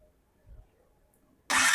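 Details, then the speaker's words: Bajaj 4-stroke FL auto rickshaw starter motor just rebuilt and refitted (brushes, greased armature washer); quiet, then the starter bites hard with a steady, even whirr and no grinding, so it engages cleanly. "ඔන්න දැන් ගානට වදිනවා මෝටරේ."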